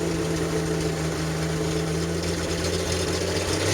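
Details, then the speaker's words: Jeep drift build with no cam, injectors only, after sitting three months flooded with water and a dead battery: uneven, choppy idle smooths out as the revs rise; owner suspects a sticking fuel injector. "I think it's a fuel injector is sticking. But once I hit the gas, it clears up. So it clears up."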